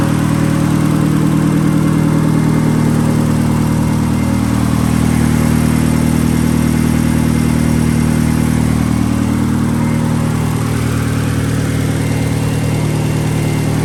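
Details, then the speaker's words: 1971 Datsun 510 with SR20DET engine swap, fully restored: loud even idle with steady low drone and smooth, regular firing, no knocks or misses; healthy engine. "Let's go ahead and fire it up real quick. Sounds the part."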